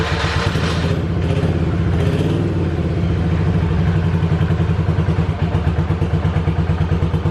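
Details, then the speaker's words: 1985 Yamaha Virago 750 V-twin, first start next day after charging the battery and reassembly: uneven, lopsided, stumbling idle, running rough; petcock on, choke tried; owner later thinks it is running on one cylinder. "oh she seems to be running a wee bit wonky what is the issue there"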